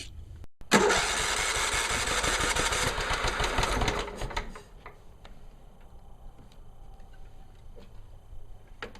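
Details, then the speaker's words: John Deere STX38 hydro lawn tractor after new carburetor and oil change (stuck float had filled crankcase with gas), PCV breather reconnected, throttle adjusted: catches first pull, briefly revs high, settles to steady idle without misses; running normally. "i connected up the pcv breather pipe to the carburetor adjusted the throttle seems to run fine seems to cut grass fine"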